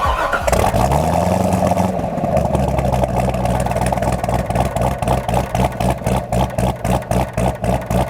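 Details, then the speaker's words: Corvette with newly rebuilt LS3 V8 accelerating on base tune, slight lag felt; engine catches, revs cleanly, deep even burble rising with throttle, normal healthy V8 acceleration. "it sounds orgasmic it sounds sensational"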